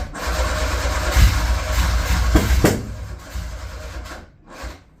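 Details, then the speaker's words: Metro GTI race car on standalone management (speed density, 190 injectors, wideband fitted) with a weakening small race battery: labored, uneven, slow grinding crank of about three turns a second that fades out without firing; slow-cranking no-start. "Our battery's getting a bit weak now, so I've only got a little race battery on there."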